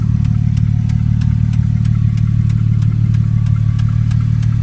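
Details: 2002 Porsche Boxster 5-speed idling with a sharp, even tick about three times a second over the engine rumble. The owner suspects a sticking lifter or a blown header gasket; not confirmed.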